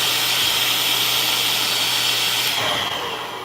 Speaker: Okay, that change in motor sound you're hearing is a clog.